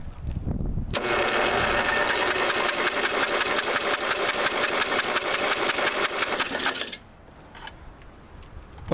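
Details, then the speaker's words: 1985 Lawn Chief mower, 11 hp Briggs & Stratton, spark plug removed, PB Blaster in, 150 A booster connected: steady, rapid, even and strong starter chugging at about three beats a second, then it stops. Normal free cranking. "let's see if she'll crank I would say that crank pretty good"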